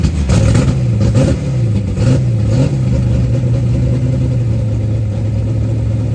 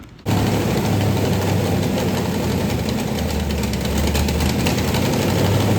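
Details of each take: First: 1990 Lincoln Town Car 5.0 (lopo shortblock, Holley 650 DP carb, GT40 heads, Cam Chowder cam, BBK long tubes, MSD ignition) at first fire: quick throttle blips rise and fall cleanly, then an even, steady V8 idle with no misses; normal idle. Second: 1990 Lincoln Town Car, 5.0 lopo short block, GT40 heads, Holley 650 carb, BBK long tubes, first fire: engine catches into a rough, loud idle with fast puffing tick, suspected exhaust leaks everywhere; freeze plug also leaking.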